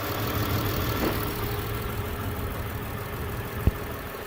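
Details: 2007 Saturn Vue, codes P0304, P0300, P0302; plugs, coils, compression, fuel pressure and spark all checked fine: low, uneven stumbling idle with occasional miss, a dead cylinder traced to a failed number four fuel injector.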